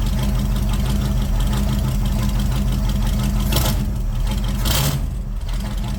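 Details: C3 Corvette carbureted V8 idling after float levels were adjusted during the carb tune: deep, steady burble, even beat, no stumbles or knocks; owner says it's running pretty good; normal idle.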